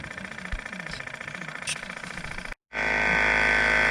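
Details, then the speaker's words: Electric compressor on a GMC cab-over landscaping truck, out of service about a month: sluggish rattling on the dead battery, short stop, then with jump box connected a fast, even high hum holding steady; normal full-speed running. "oh that sounds a lot better now yeah battery is dead which is my next problem i gotta fix on this thing"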